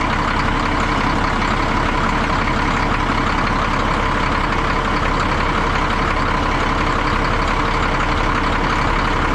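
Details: 1962 Peterbilt 351 with an old pre-cup Cat diesel, started after sitting about 3 months over winter: an even rolling idle near three beats a second with a loose, marble-like clatter and no misses; a healthy idle.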